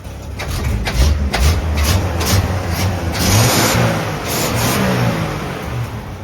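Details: 1960s Ford F100 pickup after floor pan repair, restarted warm after sitting 10–15 minutes and still needing choke: engine catches after brief cranking, revs up and down smoothly with an even beat and no knocks; normal start and rev.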